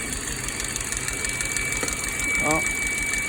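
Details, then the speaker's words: 2006 Ford Focus petrol engine at idle, check engine light on: rough idle with thin steady high whistle, a vacuum leak from a PCV hose with a hole. "see a rough idle sounds like crap you hear that Whistling noise"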